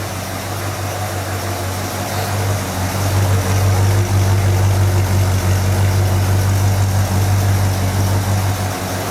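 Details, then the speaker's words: 1959 GMC Napco 4x4 truck with a newly installed Edelbrock/Carter electric-choke carburetor and new exhaust, started up and idling: deep, even idle at about three pulses a second through the exhaust, steady with no misses or knocks; healthy normal idle. "I know the owner would really like to hear this uh thing run with the new exhaust I'm going to go ahead and start it up um so you can hear it run"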